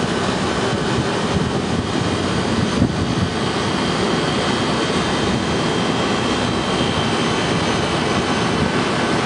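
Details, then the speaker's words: Walk-in freezer condensing unit starting up after replacing a faulty fan cycling control, gauges showing head pressure climbing 150 to 250 psi to test the fan control cut-in; steady condenser fan roar over compressor, running normally. "so we're going to turn it on compressor is on pressure is going up that's 150 175 200 2 and A4 250"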